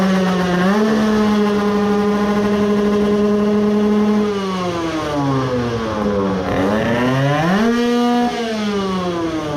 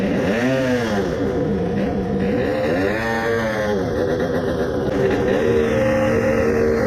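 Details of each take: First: 20 hp tuned AM6 two-stroke moped engine whose main bearings the owner had thought were glued by hardened resin; after forcing it round with a ratchet it restarted and revved cleanly, buzzing smoothly up and down with the throttle, sounding normal, even better than before. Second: Tuned 20 hp two-stroke moped, crankcase resin-filled, coolant added, after 10-minute idle to break in resin: revving surges and sags, revs fall faster than normal, labours and seizes, locked solid; owner suspects main bearings.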